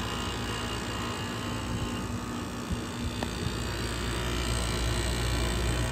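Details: Vintage 12,000 BTU room air conditioner with a badly rusted Matsushita rotary compressor: steady, even hum with fan rush and a low compressor drone, no knocks or rattles. Runs normally.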